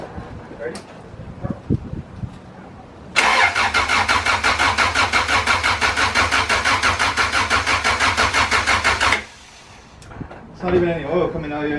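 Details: B20 VTEC engine swap in an Integra: six seconds of brisk, even starter cranking at about three turns a second with no firing, then silence; no power reaching the ECU, wiring harness suspected.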